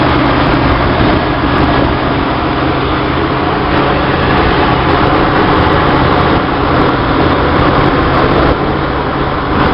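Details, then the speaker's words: 1966 Chevy sports van, stock 230 six with HEI, new Weber 32/36 2bbl carb on stock manifold, in neutral while choke is adjusted; fast idle that never settles, louder when throttle closed, calmer when opened—vacuum leak causing high revs. "This is adjusting the choke. It's not loose right now. If you close it, it sounds louder. If you open it more, it calms down."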